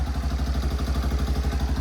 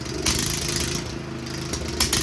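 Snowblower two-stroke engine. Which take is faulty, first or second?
second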